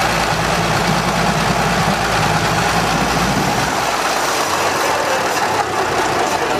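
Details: 1920 Seagrave fire engine, freshly fully rebuilt motor running after its first start in 60 years: steady, even idle with a full, unbroken exhaust note and no knocks or misses; normal idle.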